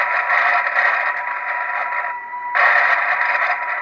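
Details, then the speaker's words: Midland 78-999 CB radio receiver with volume up: hissy buzz in the speaker cuts out briefly when the LED light is switched off, then returns when back on; RF interference from the LED lamp. "That LED light is not too bad for what it is, but certainly, you know, it is a noisy from an RF point of view."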